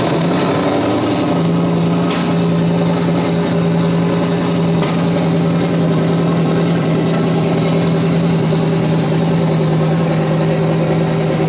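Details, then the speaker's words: Coyote engine built for 2500 hp capability, on Holley, turbocharged, first start attempt, fuel pump operation questioned: steady droning crank with constant low tone, tries to fire but never picks up; crank no start, cause unconfirmed. "So guys, trying to attempt the first start here. Already issues, of course. What do you expect? It almost sounded like it was trying to fire, right?"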